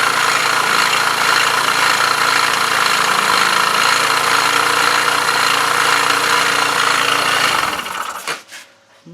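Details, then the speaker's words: Baoshan BWS 2 scooter, 157QMG engine, idling with the variator and clutch removed and very little play found: a sharp beating knock about four times a second that grows louder. The source is not yet found, so the engine is being removed. "как вы слышите звук ещё даже громче стал сейчас слышно его отчётливо какое-то биение поэтому снимаем двигатель и Разбираем его"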